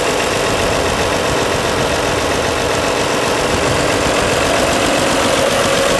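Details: 1955 Allis-Chalmers WD-45 diesel tractor, unrestored, started on a warm summer day after holding the preheat switch a few seconds, camera close by; even, rapid diesel clatter at steady idle with no misses, heavy knocks or surging: normal healthy idle.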